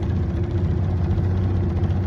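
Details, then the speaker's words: Repaired Yamaha two-stroke outboard, idle turned up slightly, in the water: low steady idle with a slightly uneven wavering beat, mild typical two-stroke stumble, no smoke, getting its oil. "I mean it sounds like she wants to go she's got that little two-stroke stumble going on doesn't smoke"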